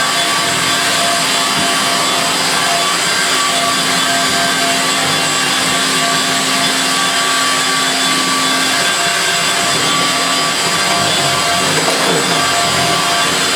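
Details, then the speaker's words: Refurbished Electrolux Twin Turbo Z522 vacuum on carpet after refurbishment: high, even whine with steady stiff-brush action, no beater-bar pounding, rattles or grinding, higher pitch than the 500 series; running smoothly. "it's such a different sound to the ones at the beater bars scissor we'll see you know what the beater bar pounding at the camp is you've just got a nice stiff brushing action so there we go it also sounds more higher pitch than the 500 series"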